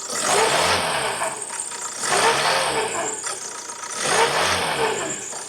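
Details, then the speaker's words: 2012 Ford Transit Connect diesel revved to about 2,000 rpm, heard from underneath: a whirring woo rising and falling with revs over the clatter; worn alternator bearing suspected, and the alternator casing has a big split. Belt to be removed to confirm. "you hear it like a woo woo I think what we're going to do is just quickly pull the alternator belt off and see if it's still making that noise"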